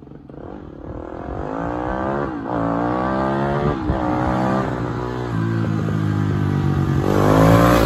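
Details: 1987 Honda XR250 single-cylinder four-stroke on the bench, good compression. Clean note climbs and drops smoothly with each throttle blip, no misses or knocks; healthy engine, runs 'like a Swiss watch'.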